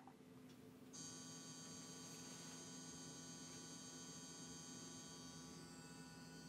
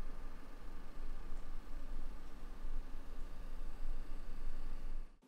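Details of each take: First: Sony PS5 at launch: an even, steady buzzing hum over the fan that never changes pitch, suggesting a defect; rattle caused by a loose label catching the fan. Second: Brand-new Sony PS5 fan during normal operation, heard up close: a soft, steady airy hush with no rattle, tick or whine; judged normal fan noise, expected to get louder under full game load.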